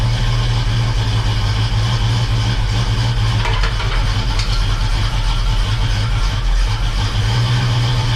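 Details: Rebuilt 350 V8 in a 1969 Oldsmobile Cutlass on first start, held above 2,000 rpm for 20 minutes to break in the new cam; loud, steady fast idle with no knocks or misses; normal cam break-in.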